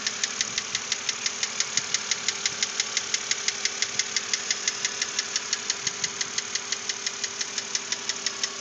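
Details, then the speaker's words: 2006 BMW Z4 3.0si, about 19,066 miles, idling: crisp, even ticking knock about three times a second that doesn't let up, persisting after lifters were changed; head replacement hoped to fix it, source unconfirmed. "this is before I take it into Bill Jacobs BMW to hopefully get the head replaced and have them get rid of this noise"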